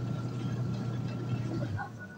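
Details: Washing machine motor after replacing failed capacitor with new same-value part: steady low hum held evenly a couple of seconds then easing off, running smoothly without labouring; fault was only the capacitor.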